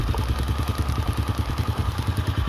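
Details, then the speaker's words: Honda Supra/Astra Star motorcycle single-cylinder with a chattering, cam-chain-like noise caused by a clogged oil pump not lifting oil; the idle is an even, smooth thump with no rattle, before warming up for valve adjustment. "Tuh ya, suaranya jadi halus ya teman-teman,"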